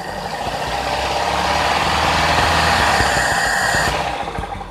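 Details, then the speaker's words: Toyota Kijang Grand with a 5K 1500 cc carburetor engine during carb setting. From low to high rpm the revs dip before rising, a fuel-delivery lag; the carb's unwired solenoid rules out 90/100 jets. "Gejalanya adalah ketika Anda menginjak pedal gas dari RPM rendah ke RPM tinggi, ada sedikit jeda. Sepertinya pasokan bahan bakarnya tertinggal, Anda tahu."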